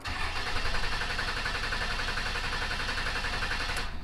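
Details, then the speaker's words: Salvaged Dodge Cummins diesel, cam position sensor replaced after P0341 code; steady rapid cranking for several seconds without firing; rail pressure peaks 7,200 then falls to 5,000; owner suspects fuel control actuator; unconfirmed. "So you see it jumped up to 7,200 on that second crank and then dropped back down to 5,000. Now that should have been more than enough to activate the injectors and at least try to start."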